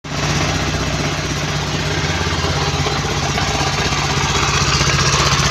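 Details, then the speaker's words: Mio Sporty scooter with a noisy metallic engine and no power on throttle; the owner had replaced the roller weights, slider piece and bendix. A steady metallic chatter at about four beats a second over idle. "Ah sportte guys. Maingay ang makina."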